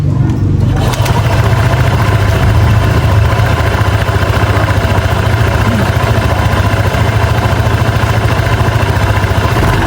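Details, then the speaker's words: Honda PCX 150 scooter after CVT repair for noisy drive: smooth start and steady even idle, belt rattle from the transmission gone. "start aan so napaka smooth na ulit ng start niya o yung makina napaka-saya ng kalampag galing sa belt"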